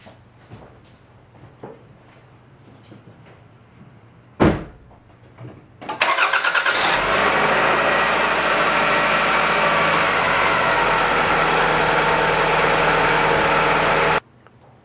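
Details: 1999 Toyota Camry 2.2 L started right after a new battery reading 12.51 V was installed: quiet clicks, a brief crank, then it fires at once and settles into a steady, even idle; healthy start.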